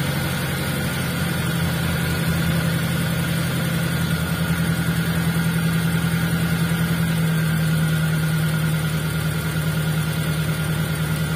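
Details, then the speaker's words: T120SS fuel-injected, idle: steady hum held high at about 1100–1200 rpm and slow to drop, caused by a dirty, dry idle speed control (ISC) valve before cleaning and greasing. "ternyata ya untuk posisi rpm nya tertahan di angka kurang lebih 1100 atau 1200 RPM ya"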